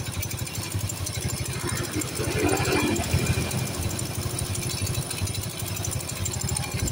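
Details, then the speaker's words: Motorcycle that smokes white from the exhaust at uneven idle, with a faint airy spitting distinct from the carburetor sound; a compression leak is suspected, possibly from the block gasket. "di sini seperti ada bagian kompresi yang bocor ya seperti ada kompresi yang bocor karena di sini terdengar ada suara percikan atau suara angin yang keluar beda ya sama suara karburator itu beda ya"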